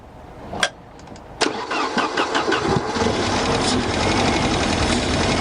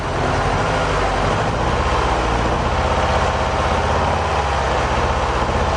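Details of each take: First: Mercedes 190E with the 2.0 M102 engine, sat unused for over 3 years, with a broken fuel pump: a click, a short crank, then the engine catches and runs unevenly and smokily only on fuel poured in by hand. This confirms a dead fuel pump before replacement. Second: Mercedes 190E 2.0 M102 after the fuel pump change, warming up: steady, even low idle with a smooth, regular beat and no misses, knocks or hunting. The engine is idling normally.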